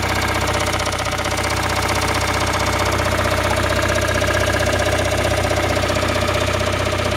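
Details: Toyota Raum 5E-FE engine after rebuild, idling: a sharp, even knock about four times a second rides over the engine; cause unclear.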